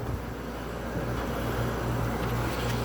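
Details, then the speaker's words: Older 1970s–80s Oasis refrigerated drinking fountain, R12 refrigerant, just plugged in with rotted PEX water line: steady low hum with a faint condenser-fan whoosh, no knocking or rattling; compressor running quietly and healthy, as it always did with ice-cold water. "Oh yeah. Compressor's nice and quiet. Just how I remember this thing. This thing always had ice cold water in it."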